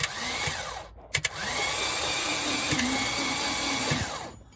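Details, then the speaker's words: Porsche 924 Turbo long unused, starter shorted directly with a wrench: two separate whirring cranking bursts with a stop between, no clean start; intermittent cranking, corrosion suspected. "So after doing that a couple of times, just letting it crank, I got lucky."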